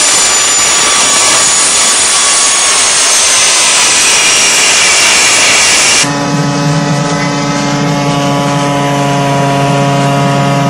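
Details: DIY gas jet turbine go-kart built around a turbocharger, diesel-fuelled afterburner, idle about 22000 rpm: steady roaring rush with high whine settling into buzzing tones, no piston throb; normal smooth running.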